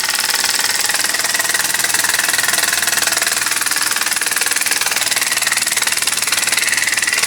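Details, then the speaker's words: Model oscillating steam engine on a few psi of air, then about 10 lb: fast, even chuffing about four beats a second with bright hiss, smooth and steady, runs in both directions; engine running freely. "okay and there it is running and of course to reverse it just reverse the uh very little air coming out of there just a few pounds there goes in the other direction"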